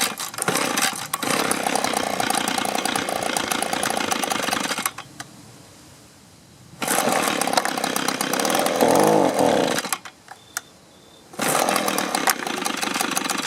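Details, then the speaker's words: Echo two-stroke leaf blower that sat a long time, old fuel replaced with fresh: buzzes at a flat, unchanging pitch, stalls, restarts and never picks up revs. It fires but has no throttle response and dumps fuel; carburetor suspected, not confirmed. "well obviously we got fire otherwise it wouldn't run like that but i can get nothing out of the throttle and we're dumping gas out"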